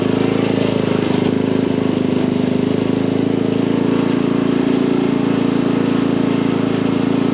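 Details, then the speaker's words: Craftsman dual-tine tiller, 9 ft-lb LCT single-cylinder engine, after repairing mouse-chewed ignition wires causing no-start, spark plug refitted, air filter off: even fast drone at steady speed, no misses or surging; running healthy. "well now that this thing's running good let's get the air filter back on it and wrap this video up"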